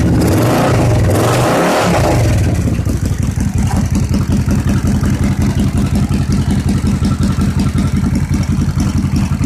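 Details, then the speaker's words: 1986 Suzuki Intruder with new fuel pump, jury-rigged battery and charger, fuel poured into the float bowls: fires with a rev flare, then settles into an even, steady idle on both cylinders. "now what I've been doing is pouring fuel directly into the float bowls see if we can't get this thing to fire off cutter choke that's what I'm talking about"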